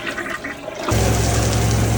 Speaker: I flushed the toilet. Got those sink running. Nothing's backing up. Toilets are flushing fine.